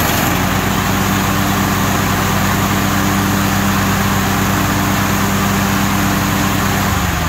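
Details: Craftsman hydrostatic riding mower after fitting used, sharpened new blades to cure a deck noise: a steady, even engine drone at constant speed with no rubbing or scraping heard. It runs normally.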